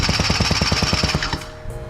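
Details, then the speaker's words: Honda Joker 50 scooter, long parked, with spark confirmed: fast, even cranking pulses, about eight a second, that never catch; the fuel pump barely delivers fuel and is replaced. "อีกหนึ่งปัญหาโลกแตกแล้วก็คือรถจอดนานปั๊มในเต็มเสียครับปั๊มบัตรค่ำแล้ว"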